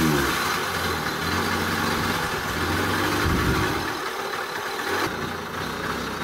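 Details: Old Honda Express two-stroke moped, just revived and started on the first or second crank: uneven, loose metallic clatter like a can of bearings over an unsteady, sagging idle; the owner suspects bad main bearings with leaking seals letting air in.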